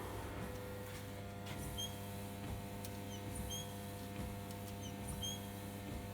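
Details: Suzuki Grand Vitara, engine idling, wipers on intermittent: short high chirping squeaks repeat with each sweep, typically appearing after about five years of use.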